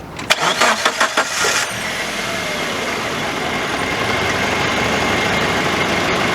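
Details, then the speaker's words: Chevy Geo Tracker 4x4 5-speed manual project car, jump-started from low battery (11.56 V): several quick starter cranks, then catches and settles into smooth, steady idle, no ticking or stumbling; runs solid, oil present. "it's pretty pretty nice it runs solid"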